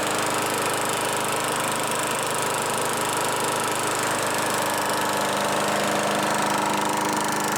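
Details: Craftsman Eager 1 mower 917.383241, salvaged from the trash; E3 spark plug and a new air filter assembly fitted, primer bulb works, needs only hardware tightening. On a tripod it holds a steady, even buzz with no misses, surging or knocks: normal running.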